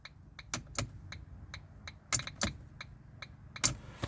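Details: Mk1 Ford Focus cabin after restoration: a run of sharp dry clicks, uneven in strength, over a quiet cabin, the indicator ticking normally after fitting a replacement, barely worn indicator stalk.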